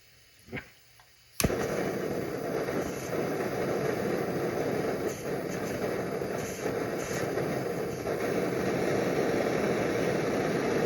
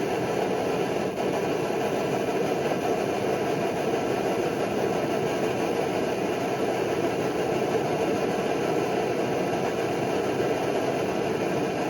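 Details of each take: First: Early-model Primus Omnifuel stove with 0.25 mm jet, burner just opened and still cold: a click, then uneven roaring hiss that dips and pops irregularly until it heats up; burner sputtering, not preheated. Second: Early Primus Omnifuel stove burning kerosene, warmed up, fuel valve turned down to remove the chug. Even, steady rushing roar with no pulsing or chugging; burner running cleanly.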